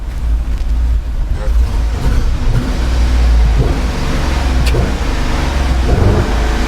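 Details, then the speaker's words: GMC Yukon V8 on the move: heavy uneven choppy rumble like a lawnmower rather than a smooth eight, heavy fuel, tach dropping out; crank sensor suspected, cause unconfirmed. "sounds like a lawnmower."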